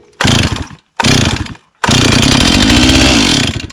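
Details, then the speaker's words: Stihl 028 chainsaw, spark unverified, fuel poured directly into the cylinder: three short raspy two-stroke bursts that die each time; spark confirmed, runs only on primed fuel, fuel delivery suspect. "Et ben, il y a de l'étincelle. Voilà. Et ben, c'est super, elle est partie."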